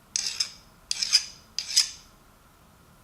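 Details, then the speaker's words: Nicholson file test on a ratchet gear: three gritty biting strokes about 0.7 s apart; the file cuts and shaves teeth, so the gear steel is unhardened. "So what I got is a file. I tell you the truth, it sounds like it's cutting."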